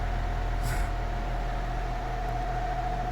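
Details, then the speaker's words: Air King Wizard Pro 20-inch wall fan: steady low hum with a thin constant motor whine that persists at medium and high speed, with the oscillator off; the whine stays stuck instead of fading. "You can clearly hear it. This is with no oscillator, too. All right, let's do the high speed. You can see the motor whine doesn't go away. You still hear it."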